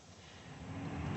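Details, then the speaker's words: Chevrolet C7 Corvette HVAC blower just after replacing the motor, which had been sticking: a smooth airy whoosh rises steadily as the fan spins up, with no ticking or scraping. Normal blower operation. "and I can definitely hear the fan blowing. So I'll call this a success."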